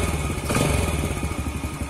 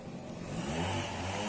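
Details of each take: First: Yamaha Jupiter Z after clutch repair for a knock on gear changes and on throttle opening or closing: steady, even single-cylinder putter with no knocking from the clutch side; normal idle. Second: Yamaha Jupiter Z before repair, riding and closing the throttle: engine buzzing along, then a sharp clack at each throttle change; the badly worn clutch housing damper rubbers cause the knock on throttle changes and gear shifts.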